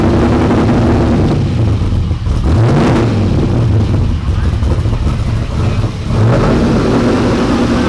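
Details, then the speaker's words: 1992 Ford F150 prerunner V8 after fixing the fuel regulator: deep, loud rumble holding a steady, even idle with no stumbles or popping; no longer running rich or misfiring. "well as you can see this truck is running a whole lot better now we're not having any issues with it running rich or misfiring"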